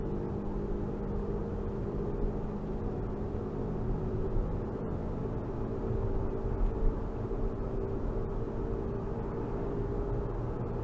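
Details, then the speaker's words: AWD 2005 Infiniti FX35 at 45–50 mph after front propeller driveshaft replacement: steady low rumbling drone drowning out the engine, slight pedal vibration; replacement did not fix it; wheel bearing considered but checked okay; source unknown. "Let me turn down this air and see if you can hear it get rumbly louder. It's like you can't even hear the engine anymore after you get up to about 45, 50."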